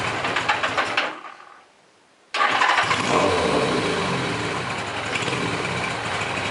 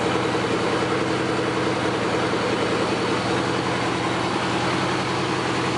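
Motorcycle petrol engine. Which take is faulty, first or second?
first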